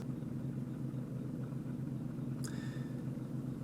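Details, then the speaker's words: Toyota Camry after battery disconnect, warmed up, following the idle relearn reset: smooth, even low idle hum at stops with no misses or surging, with AC on or off; previously barely idled and died. "as you recall before i did the reset and stopped the car barely idled and then died and here we are stopping smooth as silk turn the ac on ac off just like new"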